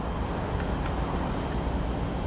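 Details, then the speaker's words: Mk3 Toyota Supra junkyard engine on a leak-down test, spark plugs out, timing verified: steady loud rushing hiss with no rhythm as pressure is applied, cylinder cannot hold pressure; heavy leakage, source not yet found. "Wow. That's a lot of leakage. That's getting by."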